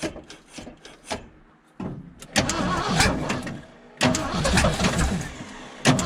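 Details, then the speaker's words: 1975 Ford F750 pipeline truck after installing a new fuel filter for weak fuel pressure: engine cranks in uneven bursts, catches and settles into steady low idle without stalling; fuel pressure somewhat better. "so dude that's better not a lot better but it's better"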